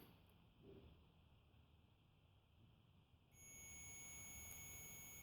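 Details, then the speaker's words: Stanley-type jump starter battery box, switch clamped together: a meter set to continuity gives a steady high beep for about two seconds, showing the switch contacts closed. "Definitely. So I don't know if it just came loose a little bit to where it wasn't making contact between the two poles, but we're just going to shove it back together tight and retest it again"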